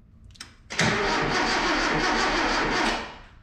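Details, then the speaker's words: 1977 Datsun B210 whose ignition had been tinkered with, cranking: a steady, even two-second starter whir with no grinding or clicking. The starter spins the engine strongly, a healthy crank. "I don't know it sounds like a healthy crank to me here have a listen all right here goes another crank well that's awesome man I'm so happy it it cranks and the starter works and everything"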